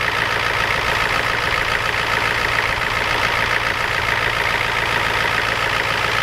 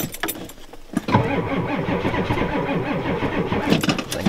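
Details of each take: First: Ford F250 7.3 IDI diesel just cold-started at 12°F with glow plugs and ether: steady fast clatter at idle staying even throughout; normal cold-start injection knock, engine sounds healthy. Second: Ford F250 with 7.3 IDI diesel, cold start at 12 above zero after a glow plug cycle, with both batteries getting weak and a jump pack attached: the starter drags over slowly and laboriously and the engine never catches. Slow cranking from weak batteries.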